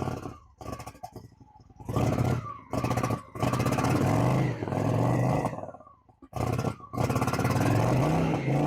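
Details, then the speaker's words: 2000 Honda Shadow ACE 750 V-twin after fresh fuel cleared the carb fuel starvation; throttle blips rise and fall cleanly with no stumbling or popping, so it revs smoothly. "Here we go. Real smooth throttle on. And it picks up. Oh, we got ourselves a bike."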